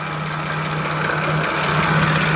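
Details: Jaguar F-Type V6 at idle, faulty fuel rail pressure sensor plugged back in: drone turns uneven and shaky, vibrating and hunting slightly with an irregular stumble; misfire and rough idle from the sensor causing over-fuelling despite new coils and plugs.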